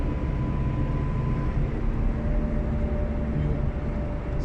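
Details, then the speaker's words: Car driven at 65 km/h and faster: low droning hum under the road noise from the rear left. The rear wheel hub bearing has gone bad; the hub did not spin smoothly with the wheel removed, and the bearing is to be replaced. "the wheel bearing has gone bad Because yesterday, when I removed the wheel, I noticed the hub was not spinning smoothly"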